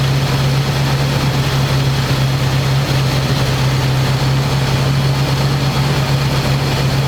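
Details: 1985 square body truck, 454 big block V8, 4-speed, sitting 20 years, after refitting air cleaner and vacuum lines and adjusting idle screw: deep, steady rumble, no misses or dips. Normal smooth idle.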